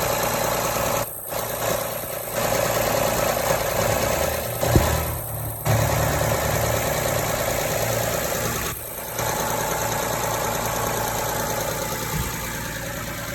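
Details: Honda Odyssey at idle: steady idle with uneven, choppy hiss and rough pulsing over the engine note; owner unsure whether it is an exhaust or vacuum leak.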